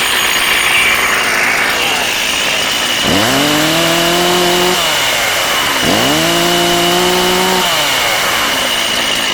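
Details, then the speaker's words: Older STIHL 036 Pro two-stroke chainsaw with 20-inch bar and chain, well cared for; steady, high, even buzz with two smooth pitch swells, running clean and strong, healthy. "Strong saw right here. Real strong saw. Got a lot of life left in it."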